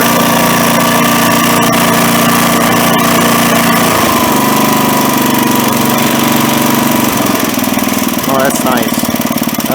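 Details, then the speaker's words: Craftsman tiller with a small single-cylinder engine, after resetting the carburetor screw about 1.5 turns out: a steady, even beat at idle with no cycling or surging, running much smoother; normal idle. "So that's at idle now. It doesn't cycle or surge. It runs much smoother."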